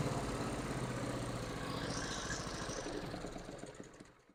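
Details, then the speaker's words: John Deere E140 garden tractor, 22 HP Briggs & Stratton twin, previously running on one cylinder from mouse damage, after repair: fires evenly on both cylinders a few seconds, then winds down; no skipping. "that sounds so much better just amazing what them doggone mice will do"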